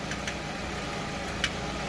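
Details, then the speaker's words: Car idling after the under-car rattle fix, cut close, still a bit loose: low steady hum, faint occasional ticks, no rattle; noise gone, normal idle. "So I don't hear the noise. It's pretty quiet,"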